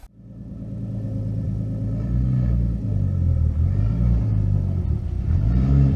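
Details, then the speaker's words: 240SX S13 with RB20DET inline six under light load up a driveway: a deep, uneven rumble with a lumpy, stumbling beat, running on 5 cylinders. The misfire is unnoticeable at idle; a bad ignition coil is suspected. "I did notice the misfire coming in. You may have heard it in the footage. It seems to be definitely running on 5 cylinders as I kind of loaded it up coming up the driveway a little bit."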